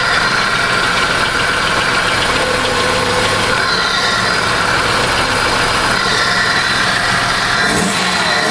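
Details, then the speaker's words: Buick LeSabre Series I 3.8 V6, 172k miles, tired engine, new carbon-fiber cold air intake, revved under about 3,500 rpm: intake roar with a click under the rev; owner suspects lifters out of adjustment, unconfirmed. "That wasn't good. That definitely proves my lifters are out of adjustment. I haven't ever heard it make that noise before. When that click happened, this entire motor went like this."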